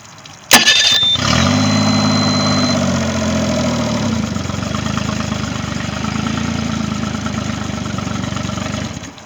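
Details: Triton boat's Mercury 25 hp outboard catches after a brief crank and settles into a steady, even idle with a clean rhythmic beat; no-start issue resolved, starting and running normally.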